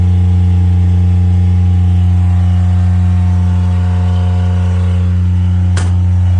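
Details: Miller Bobcat 200 Air Pak diesel welder-compressor, first start after freeing a compressor locked by rust and water from a faulty intake valve: steady, even low diesel drone with a regular beat, no knocks or misses. Normal idle.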